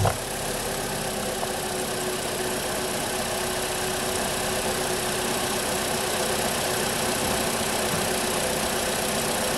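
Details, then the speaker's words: Holden/Chevy Cruze 1.8 F18D4 idling after a head gasket replacement for coolant in the oil, a pressurised cooling system and a misfire. It is warming up below operating temperature and idles a little fast. A steady, even idle with light regular valvetrain ticking and no knocks or misses. "so far so good um engine started quickly it's idling smooth it's idling a little bit fast but that idle will settle down soon enough"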